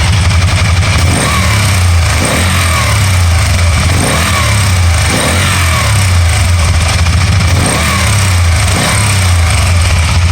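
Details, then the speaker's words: 2012 Can-Am Spyder RT-L 990 after a misfire cleared up by itself: steady even idle with smooth rev blips, no stumble or skipped firing pulses; running clean now. "now it just cleared up by itself."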